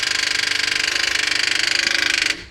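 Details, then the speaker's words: Car fails to start: rapid, even starter-solenoid chatter of about twenty clicks a second with no cranking, then stops; starter clicking, possibly from a weak battery, a charging-system or a starter-motor fault, battery to be checked first. "duyuyorsanız iki sebebi vardır bir marş motorunda sorun olabilir 2 akü ya da şarj sisteminde sorun olabilir"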